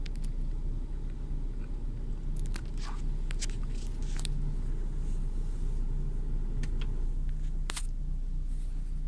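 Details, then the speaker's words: Renault Clio 2 1.4 16V petrol at the first start of the morning, recorded from inside the car, with the car shaking. Deep, uneven, stumbling idle; the scan tool shows a cylinder 1 misfire despite a new coil and spark plug. "là donc ça ça se calme par trop de tremblement et comme j'ai dit au départ donc la valise me donne un dérapage sur le cylindre numéro 1"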